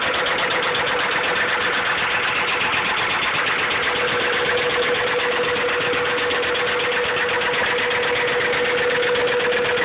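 Steady idle with a sharp, even knock about four times a second riding over the engine note, typical of a worn rod bearing.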